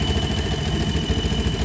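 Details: Yamaha Jupiter MX New, hot engine with a new-looking radiator cap and signs of past coolant leaks. A thin high whistle sits over the even idle while the radiator fan is not spinning; the noise disappears once the fan turns. The problem is traced to the cooling system.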